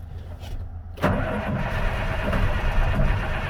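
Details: 2005 International 7500 diesel truck startup: fires up and idles with uneven, lumpy knock rather than a smooth beat; rough idle, owner pretty sure at least one injector is bad.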